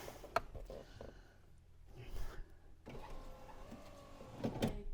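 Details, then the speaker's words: Land Rover Freelander 1 front electric window after regulator refit, test run before final tightening: faint motor whir with scraping and sharp clunks near end of travel; glass binding, dirt in the channels suspected, improving with repeated runs. "Oh. Sounds like it's catching. I think we just need to do it a couple of times. That's getting better, isn't it? I think it's all the dirt in there."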